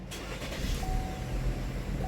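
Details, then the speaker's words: Chevy with 134,000 miles and codes P0014/P0017 after the vacuum pump broke and threw off the timing, repaired, fuel rail pressurized: it catches promptly on the third attempt and settles into a steady idle. It would not start before; normal start. "this third off third attempt starts right up before it wouldn't start up"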